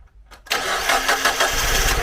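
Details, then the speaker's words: 2002 Mazda MX-5 Miata NB 1.8, nearly 20 years old: starts into a lumpy, uneven, loping idle running on only two cylinders. "put a genuine cam sensor on it got it running uh started first time and was running but only on two cylinders"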